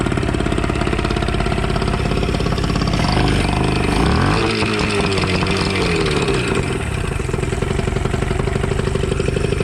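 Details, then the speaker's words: Two-stroke outboard after a throttle butterfly adjustment and a blocked water passage was cleared: the buzz wavers and stumbles, with revs dipping and surging; uneven running, owner suspects timing needs advancing or a fuel pump or primer fault. "feel like just the timing needs to be Advanced a little bit I don't know I don't know if the fuel pump is acting up"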